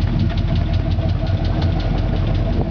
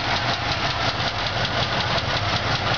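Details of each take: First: 1977 Oldsmobile Cutlass Supreme Brougham, original 350 V8, new exhaust with glasspack muffler, left exhaust manifold seal leaking, slightly shaky: a deep, loping, even rumble at idle; normal glasspack exhaust sound. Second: 1977 Oldsmobile Cutlass Supreme Brougham, original 350 V8: steady idle slightly shaky with light quick rhythmic lifter tick despite a newly installed lifter; engine could use a rebuild, left exhaust manifold seal also needs work.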